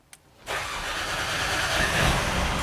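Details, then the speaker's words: 2019 Mercedes-Benz A-Class, a crank-no-start that had not run or moved in 12 months, started after a new, not yet programmed module was fitted. A short crank, then it fires right up into a smooth, even idle; normal start. "all your hand it fires right up"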